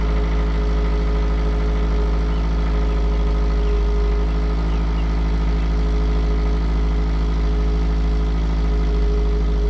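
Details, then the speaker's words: 2009 Subaru Outback with new stainless cat-back exhaust, third cold start after ECM reset via battery disconnect: smooth, even low hum at steady idle, no ticks, knocks or exhaust rasp; settles and quietens faster, idling cleanly. "so it made only a small difference the engine settles down faster and gets quieter faster i'm satisfied with this"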